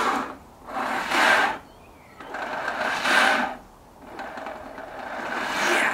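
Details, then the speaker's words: Honda Integra after months of sitting, fresh oil added: three short bursts of a labouring whirr with no firing, a slow, weak crank; the battery is blamed and is to be charged overnight. "It doesn't sound healthy. Yeah. So yeah, guys, that was day 1 of reviving Teggy. So far, everything is fine except the battery is fucked, and then we'll see if some more things are fucked."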